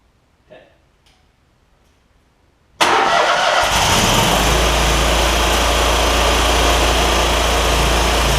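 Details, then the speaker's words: John Deere ZTrak Z915E Kohler V-twin, sat 2 years, jump-started with carb spray: catches at once and settles to a steady, even idle; oak leaves hitting the cooling fan. Normal start and idle. "Those little oak leaf things that are hitting around on the back of the cooling fan. They'll go away in a minute."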